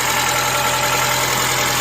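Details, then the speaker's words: Honda Element SC, rebuilt swap engine with decked block, restarted: steady, even idle with constant hum, no knocks, misses or surging; running smoothly. "It sounds pretty good. It sounds really good, actually. It sounds better than my car."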